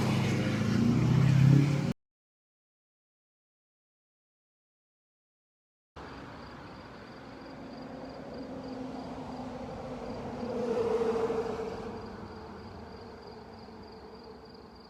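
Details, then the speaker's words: Chevrolet Silverado 2500HD on new Federal Explora M/T mud tires, driving past the shop heard from outside; soft hum swells and fades over insect chirps, a bit noisier than previous Milestar tires but not obnoxious. "Yes, they are noisy. Are they obnoxiously noisy? I don't think so."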